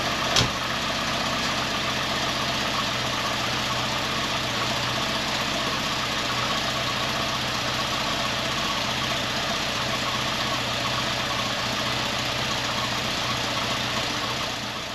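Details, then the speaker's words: 1994 Volvo 480 2.0 ES at idle, after a new front downpipe, catalytic converter, bracket and exhaust paste: a sharp airy hiss and faint puffing over the engine note. The exhaust leak still is not sealed. "I think very soon I'm going to give up with this exhaust I really cannot stop it"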